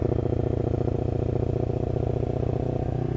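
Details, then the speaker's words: Lexmoto LXR380 with Lextek performance exhaust and new ECU, light throttle just slightly open: lumpy, pulsing exhaust beat, uneven but no dropped beats; judged uneven low-speed fueling in map, not a misfire. "it gets into this sort of pattern and it almost sounds like you can hear the individual injectors or some it's very strange now now that's not a Miss because if it was missing it would walk from this point amigo you see it's not but it does do this"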